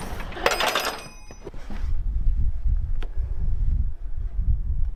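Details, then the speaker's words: 1959 Plymouth Fury after fitting a 1963–66 small block Chrysler radiator, first start to circulate the water pump: harsh metallic scrape at start-up then low running rumble; fan blade striking the bottom of the radiator, shaving aluminum. "The bottom of the radiator doesn't clear the fan blade. I see it."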